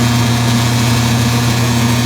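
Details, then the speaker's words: Circa-2003 Maytag Oversized Capacity Plus top-load washer, final high spin after rinse: steady low hum with buzzing rattle, the control panel vibrating from the motor. "sorry about the the control panel is buzzing because it's vibrating for the motor"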